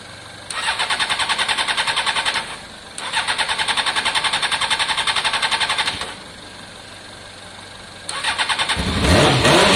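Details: Honda CBR600 F4i non-runner, accident-damaged, after injector cleaning with cleaner and fresh fuel: fast, even cranking in bursts at about three and a half beats a second, never fires. Owner hears no fuel pump prime and suspects fuel delivery.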